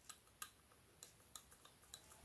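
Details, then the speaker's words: BMW 530d F10 N57 diesel at 165,000 miles, EGR valve removed and moved by hand: sharp irregular metal clicks as the worn shaft rattles and catches, locking so the motor can't close it; mechanical, not electrical, fault. "I mean if this shaft is good and new you will never hear that rattle so this is worn and the problem here is simply mechanical rather than electrical"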